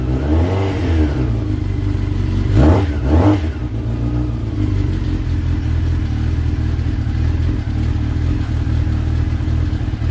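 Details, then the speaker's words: Brother's motorbike, battery charged a couple of hours on a mains charger, started on the key after transport: catches straight away, blips twice, drops to a steady even idle, no knocks or misses; started and ran beautifully, normal. "Okay, so that started and ran beautifully."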